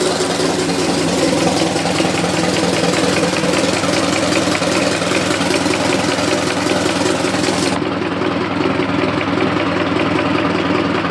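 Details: 1919 Ford Model T Speedster engine under 1000 miles since rebuild, recorded inside the firewall where it is loudest: loose repeating knock over uneven idle; also heard accelerating or cruising; owner unsure it comes from the back of the engine.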